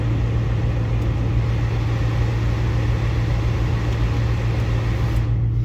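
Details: 2005-2009 Ford Mustang after replacing both blend door actuators: steady, even low HVAC hum with no clicking; system working normally.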